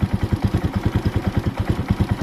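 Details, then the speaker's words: Warm motorcycle idle after idle reduced from too high: steady, even thumping with no stumbling; idle at a sensible, normal speed. "Pag ganyan naman na yung idle mo, hindi naman maayos pag ganyan. Okay? Parang didiretso na siya. Bawasan natin unti. Yun, at least"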